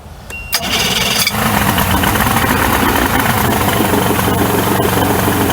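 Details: 1994 Suzuki 115 two-stroke outboard that had been sitting, run with water on after its four carb needles were checked: it catches but runs with an uneven, hunting beat that never settles into a clean idle. Owner says it's definitely not getting fuel.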